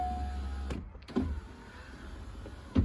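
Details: 1990s Corvette C5 with a manual LS1, project car: the power window motor hums steadily, then clunks as the glass stops and reverses, working smoothly both ways. This was after the door connector pins were cleaned and straightened for suspected comms issues.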